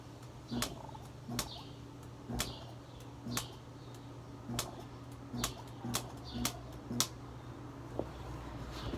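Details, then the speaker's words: Broken window AC unit, fan stopped, after pressing the reset button: sharp clicks about once a second over a faint low hum as the compressor tries but never starts; owner suspects a fault or short, unconfirmed. "The compressor there tries to turn on, but it can't because it doesn't let it. So there must be some kind of like fault, I guess, somewhere in here, or a short out."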